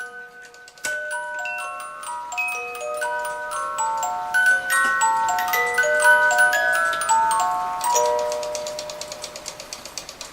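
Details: Regula 25 cuckoo clock after repair: music box triggered by the release lever after the cuckoo, clear plucked comb notes play an even tune over the steady tick; working properly.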